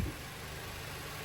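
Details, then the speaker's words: VW/Audi Gen 3 EA888 1.8/2.0 TSI (canister oil filter) start after oil filter housing/anti-drain-back valve repair: smooth, even idle with a steady low hum and no rattle or tapping. Normal idle. "But you should not hear no rattling noise. Let's start it up. Okay. You should hear no rattling noise overnight cold,"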